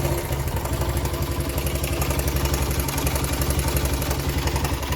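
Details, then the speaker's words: 1975 Honda XL100 K1 single, cold after sitting around. It fires on the first touch and settles into a steady, even low putter around four beats a second: normal cold-start idle. "a bit of a flick on the switch she's cold now she's been sitting around try cold start good first touch"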